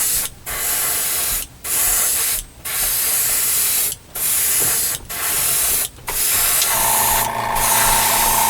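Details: Airbrush for scale modeling spraying paint on first paint flow: smooth, even hiss in bursts of about a second, each starting and stopping cleanly with no spitting or sputter; healthy, steady spray.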